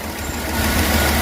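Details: 2008/2009 Chevrolet Tahoe 5.3L V8, cold start after a damaged valve lifter was replaced; oil pressure fine, above 275: smooth idle with a light, quick ticking over the exhaust, likely fresh lifters pumping up; valve lifter tick.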